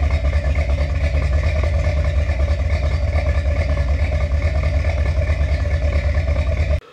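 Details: Finished 1977 Corvette C3 with number-matching steel-crank 4-bolt-main 350 V8 after a two-year restoration: deep, steady idle burble with even, lopey exhaust pulse, no ticking or knocking; healthy.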